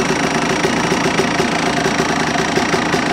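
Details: Engine just fitted with new piston and water pump, only a couple of warm-ups, no crank up-and-down play: busy metallic rattle with light rhythmic ticking over steady idle; unexplained noise, owner doubts it is normal.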